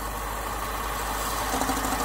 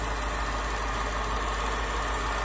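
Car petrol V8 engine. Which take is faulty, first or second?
first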